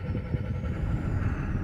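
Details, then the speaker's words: Tata BS6 phase 2 Cummins diesel after repair, kinked diesel pipe fixed and tied aside with clip; full throttle now reaches 2500–2600 RPM; deep even rumble with faint rising whistle, no misfire; normal revving. "देखिए, हमने प्रतिस्पर्धा को पूरी तरह से बढ़ा दिया है और हम देख सकते हैं कि आरपीए अब 25-26 तक पहुंच गया है।"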